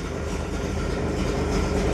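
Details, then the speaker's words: Datsun 240Z cold start after sitting a couple of weeks, about 80°F and humid, with choke, oil pressure showing. Low, steady rumble at cold idle with an even beat and no knocks or misses. Normal, healthy engine. "and just for the hell of it won't go ahead and do a cold start I cannot remember the last time I started this girl it's been a couple weeks"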